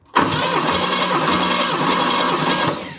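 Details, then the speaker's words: 1968 Chevy Camaro engine, daily driven since 1990, cranking during a compression test, about 150 psi per cylinder (one 165): steady starter cranking with even beat, no lazy strokes; normal cranking. "wow 150 lbs in every hole this thing's Stout I don't even know what to do I expected much worse"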